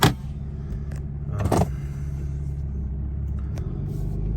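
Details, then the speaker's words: Ram 2500 on Kenda Klever RT all-terrain tires with about 28,000 miles (121,600 on truck), quiet for the first 15,000: low, steady droning hum at cruising speed with a few light clicks; worn tread noise. "I mean, it's noticeable, noisy. They weren't noisy at all for that first like 15,000 miles, I'd say. And then as they've worn, they've definitely gotten noisier."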